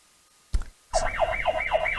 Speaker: And by the way, this thing has an alarm and it's pretty loud, but the volume is low right now.